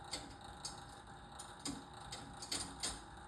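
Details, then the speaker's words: 1970 Bally arcade game: quiet, uneven clicks about twice a second over a faint steady hum after it quit working; owner suspects a stuck coin counter. "The uh sounds like the coin counter stuck."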